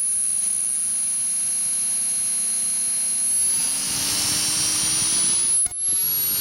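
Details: Align 450M RC helicopter motor after the upper and lower main shaft bearings were replaced: a rising high whine with a gritty rasping hiss as the rotor spools up; owner suspects the motor's internal bearings are worn.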